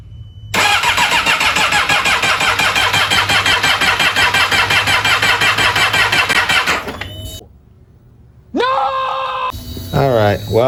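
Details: 2008 Yamaha R6 auction bike with mostly cosmetic damage: fast steady starter whir for about six seconds with no firing or catch; cranks but will not start, cause not confirmed.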